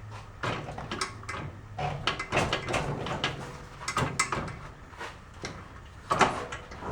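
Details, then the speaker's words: 1972 Honda SL125 with the engine off and spark plug out, rear wheel spun by hand in third gear; irregular hollow clunks come in bursts, not the chain jumping the sprocket, only in third gear, gearbox fault. "I'll spin the back tire and you could hear the clunking that's happening in it and it's not the chain jump and over the sprocket only does it in third gear everything else is fine"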